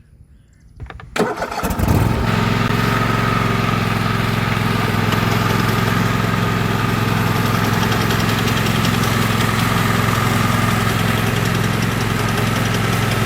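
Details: 2016 Husqvarna LGT2654 lawn tractor with bagger, heard when driving off: engine settles into a steady run with a rhythmic beat near 160 per minute and a faint tone, plus a rattle in the drive. Owner fears the transaxle; cause unconfirmed.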